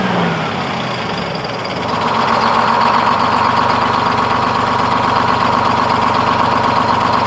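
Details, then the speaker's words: Freshly in-frame rebuilt Detroit 671 two-stroke diesel in a 1948 GMC Silversides PD3751 Greyhound bus, first start, smoother than it has ever started. Steady even two-stroke idle with a smooth beat, no knocks or misses; normal idle. "I'm impressed. Runs smooth. Runs, that's smoother than it's ever started before, and it runs nice and smooth."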